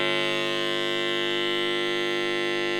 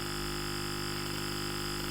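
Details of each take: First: Modified sine wave inverter installed in a motorhome, driving the same bare test speaker: loud, steady, harsh buzzing hum with a rough edge, then cut off; louder and more distorted than the pure sine inverter. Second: Pure sine wave inverter driving a bare speaker as a test: constant smooth 50-cycle buzzing hum, with slight rattle from the naked speaker and no crackle or warble; normal clean inverter output.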